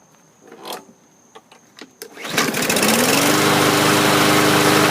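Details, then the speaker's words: 2017 MTD push mower, Briggs & Stratton engine, after cleaning, degreasing and oiling the recoil: a few pulls, then catches at once into steady even buzz with no misses or knocks; normal running. "okay that turned out good"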